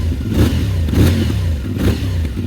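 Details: CFMOTO Ibex 450 single-cylinder at 587 miles, in neutral after first break-in oil change, idled about a minute: even idle thump swelling briefly with light throttle blips and dropping back cleanly; sounds healthy.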